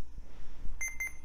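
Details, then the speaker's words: Retro laptop powered on with main battery removed; several short high beeps over faint hum after POST, hard drive initializing, boot complaint likely from a bad CMOS battery. "and we got complaints that message is awfully tiny let me move you a little closer and no surprise probably has a bad CMOS battery"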